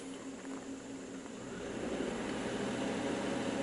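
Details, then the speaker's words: 2002 Suzuki XL-7 2.7L H27 V6, 130,000 miles, hot idle under 2,000 rpm: fast uneven metallic rattle from the front of the engine, from the #1 timing chain tensioner when hot oil pressure drops below about 35 psi; worsening. "you hear the Rattle and now it's quiet so I've noticed that once the oil heats up less than you actually hear right now like less than 35 PSI of oil pressure that timing tensioner starts to rattle"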